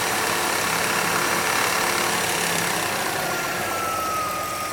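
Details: 2003 Hyundai Tiburon at idle: fast light rattle near the timing belt, coming and going without rev changes; owner suspects tensioner or belt, unconfirmed.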